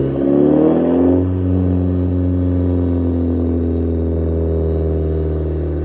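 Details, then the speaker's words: Audi A3 8P, warm after about five minutes running with fans on, idling with an uneven stumbling beat as firings drop out; still misfiring after spark plug work, fueling not yet checked, cause unconfirmed. "so as you can hear the car is still misfiring"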